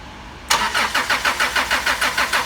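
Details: 2004 Chrysler Sebring 2.0 arriving after a new computer, new cam sensor and new crank sensor: even starter cranking at about five pulses a second that never fires. There is no rpm signal and no 5 V reference at the crank sensor, and the cause is a shorted camshaft position sensor.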